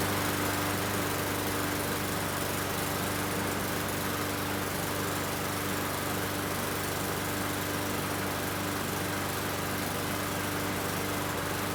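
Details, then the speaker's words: Murray 21-inch mower with a Briggs & Stratton 450 series engine, after cleaning a plastic carburettor that held water: a steady, even drone with only slight hesitation, no longer hunting or sputtering. "Sounds good to me. I had a little hesitation, but it's running a lot better."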